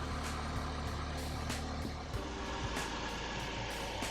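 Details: 2003 BMW Z4 E85 after oil filter housing gasket, drive belt and pulley replacement and oil top-up: steady, even idle with smooth belt whir, no squeal, chirp or knock; pulleys rotating nicely, normal idle.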